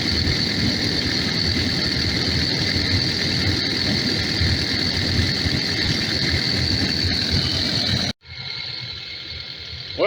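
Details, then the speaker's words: Takeuchi TL12V2 diesel at -30°C after diesel additive and key cycling; steady even idle with constant high-pitched whine, no knocks or stumbles, longest run so far; owner suspects gelled fuel, possibly tank pickup screen. "this is the longest it's run so far"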